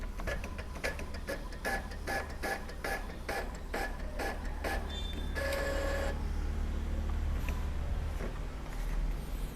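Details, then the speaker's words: Epson L3110 printer after the flex cable was replaced, printing three pages: even carriage clicks about two a second, then a smooth paper-feed whirr with no grinding or stalling. It now prints normally. "Ya sudah berhasil ya pintter sudah berhasil normal"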